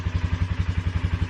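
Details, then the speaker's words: Polaris ATV single-cylinder at fast idle after tubing was fitted to stop the intake pipe rattle: even, steady thump with no rattle or buzz from the intake; repair worked and the engine sounds healthy. "definitely took care of the issue did not hear any rattling at all from that intake pipe"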